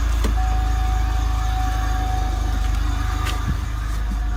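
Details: 2000 Pontiac Bonneville SSEi, steady drone with faint quick uneven tapping heard mainly under load; owner suspects rod knock, not confirmed.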